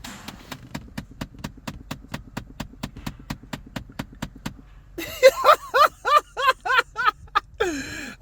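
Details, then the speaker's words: Dodge Challenger HEMI, engine not the cause: light even ticking about three per second from behind the dash when the recirc button is pressed; the HVAC recirculation door actuator is breaking apart internally. "Okay, it's obviously coming apart internally and making that ticking noise, clicking noise. Okay, that's not uncommon, guys. That's a common problem."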